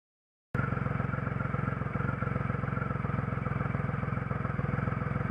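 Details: 2006 Triumph Rocket III Classic engine, which had a rough idle to stall but runs okay after restart: idling evenly with a steady, low pulsing beat and no stumbles or misses.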